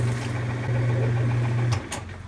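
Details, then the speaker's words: Kenmore/Whirlpool top-load washer found in trash, on spin cycle: steady motor hum but tub doesn't spin; worn clutch, clutch kit replacement. "set it back up to the spin cycle it's not turning but I can hear the motor"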